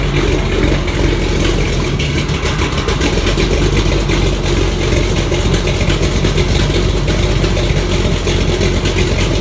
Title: 1976 Monte Carlo upgrade part2 starts but has exhaust leak